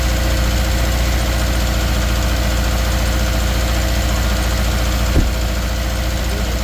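Steady idle with a lumpy, uneven low pulse and an occasional stumble, a single-cylinder misfire at idle.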